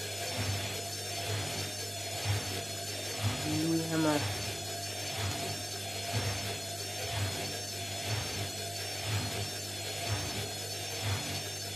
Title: INDESIT mini unbalanced spin with bad bearings